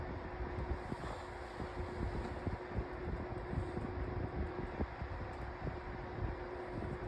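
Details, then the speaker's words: 2024 Lasko 1823 18-inch pedestal fan at low speed: soft steady whir with a faint constant tone and light ticks; the owner says every 18-inch Lasko makes this annoying whirring noise, cause unconfirmed. "Um so, all every single 18-in Lasko fan that you buy is going to have a split. It's going to make that annoying whirring noise."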